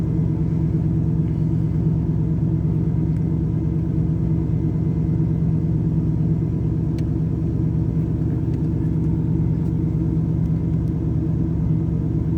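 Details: Chevrolet Camaro IROC-Z V8, warm engine, also stalling: deep uneven lumpy idle pulse about three beats per second, no steady rhythm; rough idle.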